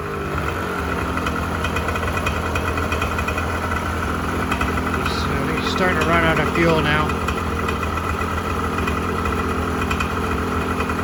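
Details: 1986 Honda NS400R 400cc two-stroke triple after 11 months standing, run on choke to empty the carbs for storage: crackling, stuttering unevenly, revs wavering as it starts starving for fuel; running lean as carburettors run dry.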